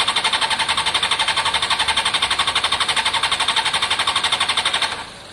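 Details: Honda CBR600 F4i non-runner, accident-damaged and unused for years, after injector cleaning with cleaner and fresh fuel: fast, even cranking at about four beats a second for five seconds, then silence, never fires. Owner hears no fuel pump prime and suspects fuel delivery.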